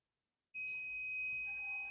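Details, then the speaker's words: Digital multimeter continuity test on a cable: silence, then a clean, steady high-pitched beep held for over a second, showing the cable is intact and conducts current. "So this is a cable. We want to test for continuity. Is it broken? Can it allow the flow of electricity?"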